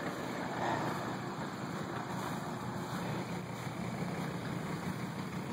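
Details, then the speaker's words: 1980 Mercedes 300SD diesel, just reinstalled after setting injection timing, glow plug light not coming on: steady, even idle clatter with no misses or knocks, much improved from its earlier tractor-like sound, but still some white smoke. "Still some white smoke. It no longer sounds like a tractor."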